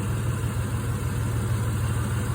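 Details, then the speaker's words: Petrol engine idling low and slightly uneven with a faint stumble; disconnecting this cylinder's coil/plug wire changes nothing, so it is the misfiring cylinder — cause still to be found: wire, plug or valve train. "Nothing changes. No change whatsoever. So, this cylinder here is the problem."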